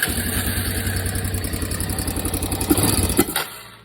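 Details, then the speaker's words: Barn-find three-wheeler with stock exhaust, after a valve adjustment; owner had suspected a loose cam chain or valves. Even single-cylinder idle thump with a little exhaust rasp and no top-end ticking, then shut off. Normal idle. "it makes a little noise but nothing really crazy it's about normal for 3 stock exhaust I guess"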